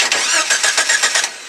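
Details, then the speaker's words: Jeep Wrangler YJ being hot-wired after key cylinder gear and rack failed; starter wire jumped: about six even cranking pulses, no firing; starter turns engine but no start because ignition has no power. "but it's not going to start because i don't have power going to the ignition"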